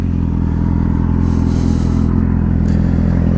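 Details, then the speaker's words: Yamaha R6 after engine rebuild with transmission bearing replacement: steady even idle with a firm low hum, no knocks or rattles; owner suspects a small exhaust leak, otherwise no leaks; normal idle. "yeah but everything looks good no leaks everything is running flawless man looks good"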